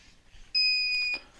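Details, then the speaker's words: Budget garden solar setup, inverter on 24 V battery bank discharged to about 23 V, controller cutoff set at 23.2 V: one sharp high-pitched half-second electronic beep in a quiet room; inverter low-battery alarm, though its documented trigger is 10.5 V. "Deuxième chose un petit peu plus surprenante, c'est que le convertisseur, lui aussi s'est mis dans un mode alerte. C'est lui qui sonne, là, vous l'entendez."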